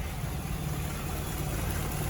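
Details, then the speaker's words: 1990 Volkswagen Scirocco GTII, sat a while, cold day around 1°C, choke off, idling low: lumpy idle with odd uneven beat in the exhaust rumble, engine starting to miss; cause unconfirmed. "peering away there oh it's oh it's missing oh well we'll just turn it off now"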